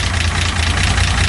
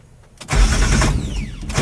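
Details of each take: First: 1975 Datsun 280Z just got running, idling; steady low idle with fast light ticking over it, which the owner believes needs a valve adjustment. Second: 1975 Datsun 280Z restart on the first day owned, before tune-up and oil change, after sitting an unknown time; starter cranks briefly, engine catches cleanly and settles into low, steady, even idle.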